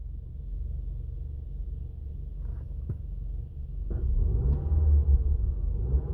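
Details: 2002 Mazda Atenza; a low, uneven idle that pulses and lurches with occasional thumps instead of a smooth hum; a rough idle, cause unknown.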